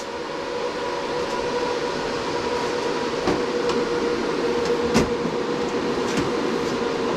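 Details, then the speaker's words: BTC-S37 mining rig, 6x RTX 3060 Ti, just started mining, about 80 dB with case cover merely set on: loud steady fan whoosh, faint whine, a few knocks as cover is placed; fans running hard but normally. "donc là on est toujours à 80 décibels un bon 80 je viens fermer le boîtier"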